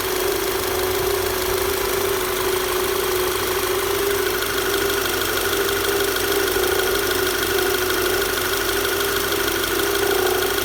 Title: VW Tiguan knocking noise